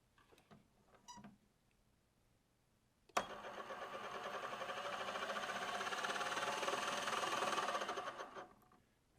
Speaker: good maybe losing the bearing again I hope not anyway